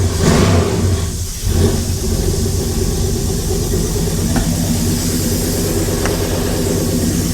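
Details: LS-swapped 1956 Chevy V8 catches, revs up cleanly and settles to a steady deep idle, no knocking; gauge reads zero oil and fuel pressure, suspected faulty sensor; lifters only slightly clickety; normal revving.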